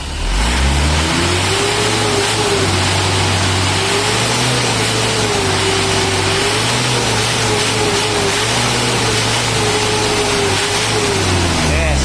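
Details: Isuzu Panther 2.5/2.3 diesel after valve adjustment and injection timing tune-up: revs up and settles smoothly and evenly with no stumbling or breaking up, where before both idle and throttle sound were ragged; running healthy.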